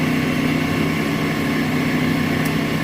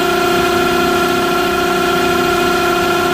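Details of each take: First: Smithy AutoMate CNC LT1440 lathe after spindle replacement with new smooth bearings, about 65 dB versus 83 before; smooth, even hum with steady low drone and no knocks or grinding; spindle runs quietly and healthily. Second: Smithy AutoMate CNC LT1440 lathe, 2 years old, about 800 spindle hours, before spindle replacement at 1800 rpm rising toward 2500, about 83 dB; steady high whine with several fixed tones rising in pitch; worn, rough spindle bearings.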